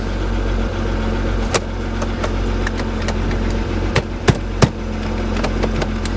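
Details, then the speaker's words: Engine runs but rough on a salvage-auction vehicle just started. Uneven idle with irregular sharp pops and stumbles every second or so; service engine light on instantly, cause unknown. "Okay. Well, she's not running well. Service engine light on instantly."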